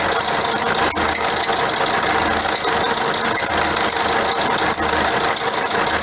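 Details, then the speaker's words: 2009 Vauxhall Astra diesel idling with faint ticking knocks and a thin high squeal over the top; complaint of a squeaky belt and knocking from underneath, with the alternator and auxiliary parts later replaced. "Custer complaint is it's got a squeaky belt and knocking noises from underneath so let's have a listen"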